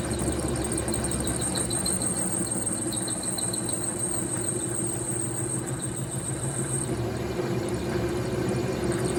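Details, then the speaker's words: Vevor MX 400 mini lathe parting cut with a new, sharper parting blade, setup squared up: steady harsh chattering buzz at one pitch through the cut while still cutting fairly well; owner suspects the thick blade causes the chatter. "Not sure why that's making that noise. I mean, it's cutting fairly well."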